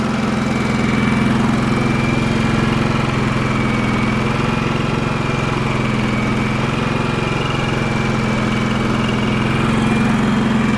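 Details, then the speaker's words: Champion 4500 W dual-fuel inverter generator, previously non-running, covers off, eco mode, no load (60 Hz, 0 A, 122 V): steady constant-speed drone, no misses, surging or knocks; normal idle. "I'm not very familiar with this thing at all. Seems to run really nice."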